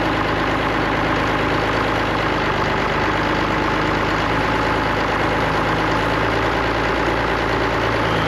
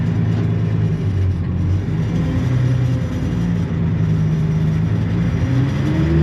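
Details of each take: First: Allis-Chalmers diesel tractor just started after cracking injectors, running the electric fill pump, heat and ether: settles into an even, steady idle with smooth clatter and no misses or knocks; sounds healthy. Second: Allis-Chalmers diesel tractor: the idle wanders and flutters, never holding steady. Owner suspects a bad governor ring and that it will need an injector pump; not confirmed.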